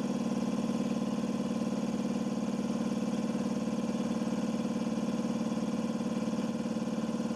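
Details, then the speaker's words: Compressor that sat 8 years, after cleaning varnish from the check valve and adding a pressure switch: steady even pumping thump about four beats a second, no knock; cuts off about 135 psi, regulator 110; running good. "so that's running good"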